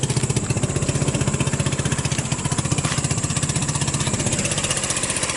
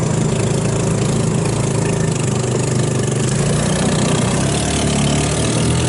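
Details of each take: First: Hammerhead off-road go-kart with a 150cc GY6 engine, cold start: it chugs about four pulses a second, uneven with dips, and can't get enough fuel to keep going, running lean from contaminated fuel clogging the carburetor. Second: 150cc GY6 engine in Hammerhead off-road go-kart, after carburetor rebuild removing water and jelly contamination; steady, even low putter with no stumbles or misses, runs smooth and healthy now.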